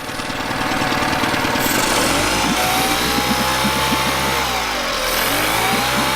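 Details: Yamaha 9.9hp outboard idling after replacing a cracked, dried-out carburetor diaphragm that caused heavy gas leaking from underneath; steady buzzing idle, even beat, no misses, stumbles or surging; runs clean and healthy.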